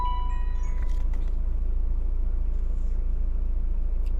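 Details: BMW E84 after timing chain, clutch and flywheel replacement, 5W-30 LL04 oil, early-morning cold start: steady, even low idle with smooth regular pulse and no chain rattle or ticking underneath.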